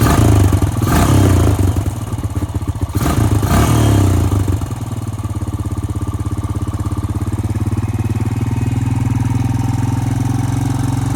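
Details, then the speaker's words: 2002 Honda Rancher ES ATV engine after sitting 12+ years, now with new battery and cleaned carburetor: uneven blips settle into a steady, even single-cylinder idle with soft regular putter; running cleanly, normal idle. "I'm going to adjust the idle after cleaning the coper see like it's running pretty good now"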